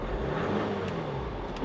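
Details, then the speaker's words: Turbo diesel at a Copart auction, with no service required and no warnings: revved a little, it picks up cleanly and evenly with no knocks or rattles. Runs great and sounds healthy. "okay it seems to run great let me rev it up a little sounds healthy"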